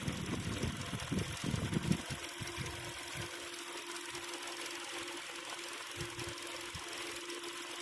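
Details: Hyundai Sonata DN8 2.5 at idle: uneven light ticking and rattling about two or three a second over a steady idle hum; engine rattle of unknown cause.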